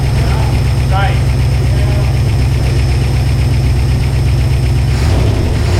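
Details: 1978 IH Scout II, first start after a carburetor rebuild and a rigged-up fuel system, not driven since 1999: fires right up and settles into a steady idle of about four even pulses a second, no misses or knocks; healthy.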